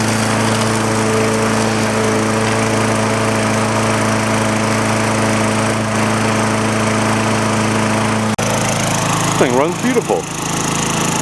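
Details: Old green MTD push mower ready for resale, first run outside after fuel tank flush, new quarter-inch fuel line and recoil work, air filter cover on without a new filter, no blade fitted: a steady single-cylinder drone at constant pitch, no misses or knocks. Normal running.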